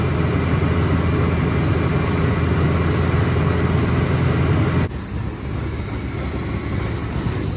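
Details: Forgotten Chevy C10 V8, first run in over a decade after new starter, wiring, ignition and rebuilt carburetor: even steady rumble, no knocks or misses, fading near end as it possibly runs out of gas; running cleanly.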